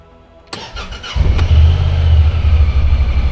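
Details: 2024 Honda Pioneer 1000-5 side-by-side started after first service oil and filter change and maintenance light reset: short crank, catches quickly, settles into smooth steady low idle, no stumbling or knocking; normal start.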